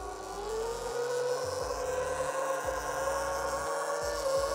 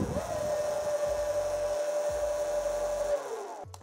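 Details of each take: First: SUR-RON Light Bee electric bike crash/tilt sensor demo: steady motor whine rises under throttle, then abruptly winds down as the tilt sensor cuts power beyond a set angle; an error appears and the bike must be switched off and on. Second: SUR-RON Light Bee electric bike, code entered via brake lever (6 short, 1 long, C1 on display) so throttle works with kickstand down; steady mid-pitched motor whine for about three seconds then winds down; normal motor run.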